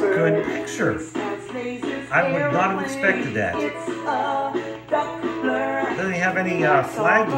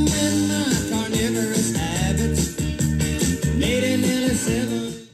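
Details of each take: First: Mint-in-box 1997 GPX TVP9 B&W TV/AM/FM/cassette unit playing a tape: music comes through clean and steady with no wow, flutter or drag, the deck running at correct stable speed. Normal cassette playback. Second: Playback of a recording made on a mint-in-box 1997 GPX TVP9 B&W TV/AM/FM/cassette: pop music sounds harsh, crunchy and pumping because the automatic level control couldn't keep up and overshot; overload distortion on the cassette recording.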